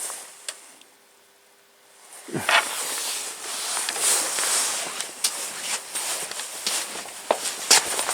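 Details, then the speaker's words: Washing machine on test with worn bearings (spin kept low): after the water supply is turned on, a steady, even water hiss as it fills normally. "all right so there we go that's filling up with water see how it all plays out"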